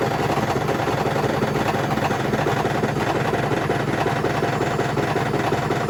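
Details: Hotpoint BHWMXL145 washing machine on a high test spin heading toward 1400 rpm: a loud, constant rumble with fast, uneven thumping at about three beats a second, the drum banging because two spider arms have snapped.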